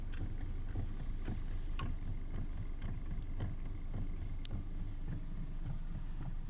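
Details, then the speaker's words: 2013 Hyundai Elantra, 91,000 km: dull uneven suspension knocks, three or four a second, thudding through the body on rough dirt road, none on smooth road, also when steering; ball joints, stabilizer links, bushings, tie rod ends replaced, rack checked OK, source still unknown. "Мынандай стук бар, жүргенде тегіс жолда стук жоқ. Шоқалақ қара жолға түскенде бірдеме тықылдайды. Рөлді бит бұрғанда тықылдайды."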